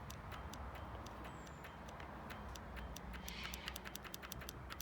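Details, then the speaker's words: Royal Enfield Classic 500, ignition on and starter button pressed, multimeter on the starter relay showing no voltage: rapid uneven clicking, several a second, with no cranking; the starter relay is half working and has failed. "you can actually hear the relay half working but no voltage and when i press the starter button"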